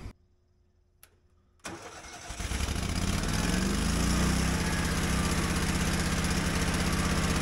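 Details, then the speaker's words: Generator powering an air compressor for tractor tire inflation: cranks, catches and settles into steady, even idle with smooth low beat, no electrical demand yet; normal unloaded idle. "So the generator is on idle right now because it's not seeing any demand for electricity. But once I put air in this tire, you're going to hear the generator kick on."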